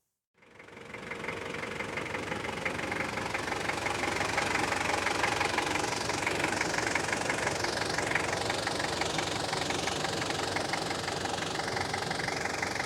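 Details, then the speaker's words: 1993 Toyota Hilux Surf JDM import, 3-litre four-cylinder turbo diesel, automatic: loud even rattly clatter at tickover, about three per second, smooth once driving; normal diesel clatter at idle. "I quite like the noises. You can definitely tell it's a turbo diesel. But as agricultural as it sounds on tickover, once you're driving along, it's lovely and smooth."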